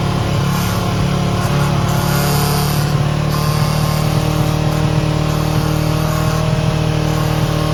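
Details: 高金GK500 motorcycle idling on a stand: steady idle with a faint fizzing buzz from a loose, vibrating fuel tank cap, which the owner first suspected was a chain noise; no fix has been found yet.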